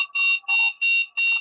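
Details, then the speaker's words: Begode ET Max electric unicycle on a stand, held at about 80–90% PWM: a row of short, high random wheel beeps; the power beeps seem inconsistent, cause not confirmed. "oh there was that random wheel be there's that random wheel"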